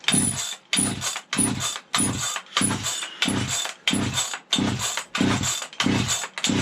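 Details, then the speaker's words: Vintage 1970s Stihl 031AV chainsaw, left outdoors and rained on, choke closed, after adding fuel: repeated rope pulls, each a short rasp, and it won't start. It started to kick before the starter rope pulled out. "Whew, she don't want to go. Started to kick, and our coil and rope stinking pulled out."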